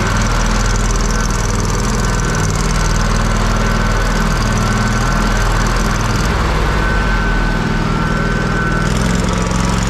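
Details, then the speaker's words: Kohler CH750 twin in a Miller Trailblazer 302 AirPak welder, after the owner's repair, running at constant speed: a steady even drone with no knocks or misses. It sounds pretty much identical to the other welder. "don't they sound pretty much identical now Mike wins Mike one again"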